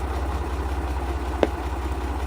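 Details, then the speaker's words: 1968 MGC idling after new HT leads were fitted: a steady low rumble with one sharp pop through the Bluetooth speakers, interference suspected from poorly shielded leads; the coil-to-distributor lead was found responsible, and copper sleeving on it fixed it. "That didn't happen with the old HT leads, but it happens with these new ones. So I think they're just they're not shielded enough, and they're causing some electromagnetic interference with the wiring somehow of the audio system."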